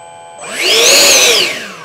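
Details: Ducted-fan jet after in-situ ESC throttle calibration: fan whine climbs smoothly to a high, clean pitch and winds back down evenly with no stutter, running healthy and better than before calibration.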